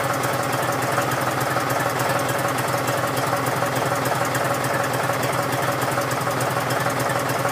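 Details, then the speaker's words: John Deere 5103 tractor diesel cold-started at about 29-30°F after sitting several days: steady, even, unbroken clatter at about three and a half beats per second while warming up; normal cold-start idle. "she's up and running now"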